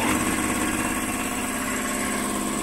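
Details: Air compressor on a Vevor 5500W (EM 5500-48L) inverter from battery, on top of a 2.2 kW load: steady mid-pitched drone with an even pumping buzz, no labouring; running healthy.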